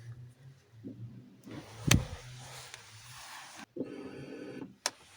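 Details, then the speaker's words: Fiat Punto 188 1.2 8v fuel pump fed 12 volts directly on its wire during no-start diagnosis: click, then short steady low electric whir; pump runs fine, fault likely in wiring, internal fuse box or immobilizer. "can hear that the pump works okay"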